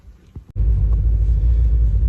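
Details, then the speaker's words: Honda Civic EK hatch with B18C1 engine cranks, catches, then idles low and wavering, tachometer moving slightly; misfire and rough idle, though it still has power and hits VTEC when driven. "it's a Honda it starts every time and I don't know if you can hear that but at idol it's just wavering you know so the tachometer is moving just a little bit"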